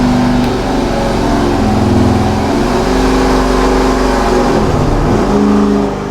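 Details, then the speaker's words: 1970 GTX 440 V8 on the dyno before rebuild, fully warmed, full-throttle pull: deep even roar, steady clean note, no knocks or misses; 390.5 hp at 5,000 rpm, peak torque 484.4 at 3,300 rpm; healthy. "At 5,000 RPM, we just pulled out 390.5 horsepower, and our maximum torque right now is at 484.4 at 3,300 RPM."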